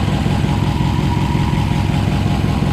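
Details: 1962 Ford F-350 with new plugs and wires, timing at 10 degrees initial advance: steady, even low idle with a smooth regular beat, no misses or knocks; running healthy.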